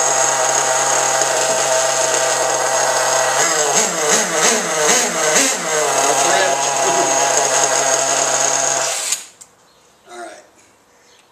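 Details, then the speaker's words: Losi 810 nitro RC buggy engine, suspected air leak in fuel system, low speed needle set far from flush: high raspy buzz with uneven throttle blips, then cut off; runs very rich, spraying fuel, before tuning. "sure that took care of it now I'm going to this thing is really rich you can tell just now I was getting sprayed with with um fuel"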